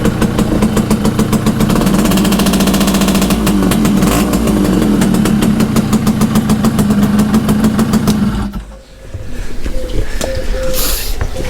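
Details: Restored Yamaha FS1M Fizzy moped, ported, after nut-and-bolt rebuild, humid day: crisp busy two-stroke burble at steady idle with a brief dip and pickup; running clean and even.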